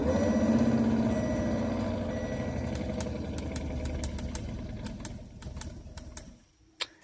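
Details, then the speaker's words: Audi A3 3.2L VR6 after blower fan replacement, first test: fan hum winds down with light repeating ticks as it slows, the wheel rubbing against something; reinstalled blower fan rubbing, had to be taken apart again. "doesn't sound good so turns out I'm gonna undo all that again and yeah I see what it's rubbing up against"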